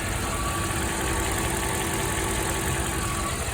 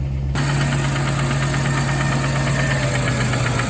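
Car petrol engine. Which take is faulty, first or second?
second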